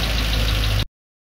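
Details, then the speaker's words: Freshly rebuilt Land Rover Discovery 2 Rover V8 4.0L at idle, after about 15 minutes of running including high revs, just before shutoff: light, quick, regular ticking from the driver's (right-hand) side. Not misfiring; the owner suspects the hydraulic tappets, unconfirmed. Top-end tapping. "it's not missing a beat or anything but there is a little bit of a tapping sign from the well this side of the engine the driver's side the right hand side hydraulic tappets maybe"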